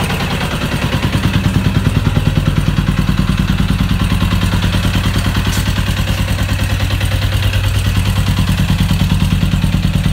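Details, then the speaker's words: 1996 Suzuki RF900R, carburetors still uncleaned, finally started: engine thumps about three beats a second but rhythm wavers and won't settle; rough unstable running. "Finally success. Could make her fire up. She's roaring already. But yeah. It's not uh sturdy enough. stable yet."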